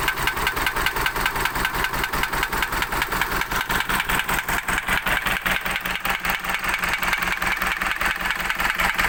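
Sharp, even knocks at roughly two and a half per second over a rattly diesel idle; the engine is knocking. Cause suspected, not confirmed.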